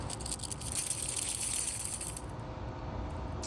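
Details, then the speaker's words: Throwout bearing from a manual Volvo 740/940 transmission, spun by hand after removal: quiet, loose metallic rattle and gritty roughness; bearings sound very loose and worn, metal fragments from the pivot ball found nearby. "And I don't know what they're supposed to sound like. But this one sounds very like the bearings are very loose."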